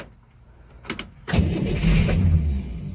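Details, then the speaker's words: 1964 Corvair after cylinder head reinstall and new rings, warmed up then died: starter cranks briskly about a second but never catches; out of gas, carburettors empty, no fuel squirting, causing fuel-starvation no-start. "Alright. So, it's just out of gas. I looked inside the carbs here."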